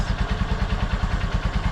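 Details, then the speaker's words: Honda Supremo five-speed, which now starts in two kicks after an adjuster fix for hard starting: a steady, deep, even idle thump about seven times a second, with no clatter or misses. "so Wala akong masabi dito sa alaga kong si ror lahat ng fan kento ako sa takbo niya sa lakas niya sa kondisyon ng makina niya nakita niyo naman dalawang tick lang mandar agad"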